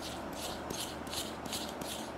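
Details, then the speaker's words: Counterfeit new timing belt tensioner pulley for a Renault, spun by hand: a gritty, hissing rasp pulsing about twice a second, a rough-running, noisy poor-quality bearing. "Это натяжной ролик. И если покрутить, немножко да, слышно, что он шумит. Новый поддельный ролик."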